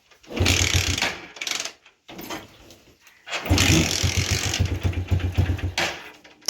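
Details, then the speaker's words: TVS StarCity 110 petrol bike in rainy weather, electric start dead, so kick-started: catches into a few seconds of rough firing, then stalls even when revved; spark plug leaking current, causing no-start. "இதான் complaint. Race பண்ணாலும் வண்டி ஸ்டார்ட்டே ஆகல"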